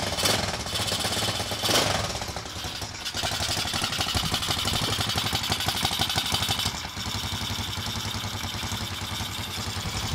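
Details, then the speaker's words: Motorcycle engine started; quick even ticking patter at idle, steady beat, no knocks or misses, quiet and healthy. "Okey, jadinya motor ni okey lah, enjin dia senyap"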